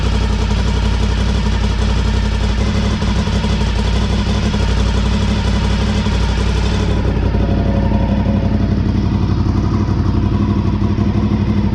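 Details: 2003 Honda RC51 SP2 V-twin, after repairing rodent-chewed wiring harness, warming up after coolant refill: loud, uneven idle with sharp puffing chatter each firing pulse, exhaust blowing at pipe-to-manifold joint on rear cylinder, pretty rowdy.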